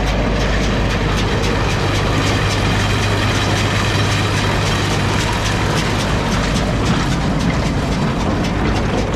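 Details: New Holland round baler on an International 1256 tractor after new bearings and chain: steady drive with light, even chain and roller clatter, no grinding or squeal; running normally.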